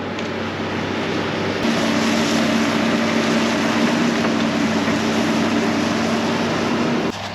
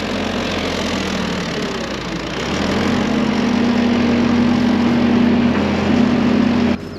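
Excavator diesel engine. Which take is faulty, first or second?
second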